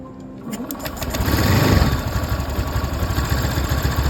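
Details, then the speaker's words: Honda Beat scooter, first start after a beginner's full engine rebuild following oil starvation: uneven, lumpy putter that hunts and won't hold idle even after air screw adjustment; cause not yet pinned down. "Di sini kondisi motor susah untuk idle. Izin masukan dari para suhu. Apa ada yang salah dalam pengerjaan atau ada yang harus direvisi kembali? Ini adalah suara motor yang sudah disesuaikan setelan anginnya. Namun tetap terdengar pincang."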